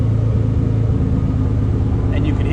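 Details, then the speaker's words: Nissan 300ZX with code 55, power balance test run from scan software, cylinder one cut: steady idle hum shifts under a second in to a lumpier, uneven beat as the cylinder drops out. "But if you've ever done a power balance test yourself where you disconnect each coil pack one at a time to see if the cylinder is working, we can actually do that right here."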